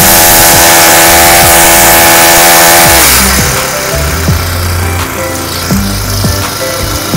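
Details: Honda GX35 brush-cutter four-stroke, rebuilt with a new cylinder liner and piston rings, petrol test: a clean, steady high-rev buzz for three seconds, then it drops to an even idle putter above 1,000 rpm. It runs healthy.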